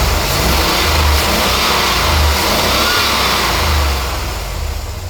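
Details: Uneven, stumbling engine note with irregular dips through the revs; misfire from a bad ignition coil, with tracking spark visible on the side of the coil case.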